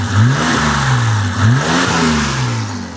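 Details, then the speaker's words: BMW E28 with M30 six-cylinder, fully warm after valve adjustment, now much quieter: throttle blips rise and settle back smoothly, pitch following throttle cleanly; a bit loud and idle slightly uneven as typical for M30, sounds healthy. "All right, now it's fully warm. I think it sounds pretty good. You know, it's an M30. They're a little loud. They idle a little eh, but"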